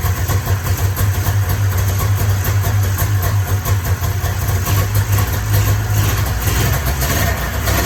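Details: 1994 Polaris Indy 440 two-cylinder liquid-cooled two-stroke snowmobile, sat 12 years, new gasket, running off tank fuel: deep, steady burble at even idle, no misses or knocks; seems to run pretty good.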